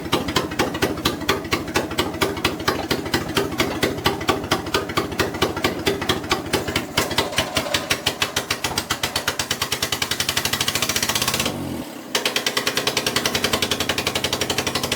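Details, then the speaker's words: Suzuki Carry truck after compression and spark plug troubleshooting, flames from exhaust manifold; loud, sharp, uneven chuffing about two beats a second, stumbling as if on one cylinder when throttle applied, with blow-by; rough running, misfire, cause unknown. "Goes back to that one cylinder sound when we apply. And we get blow by."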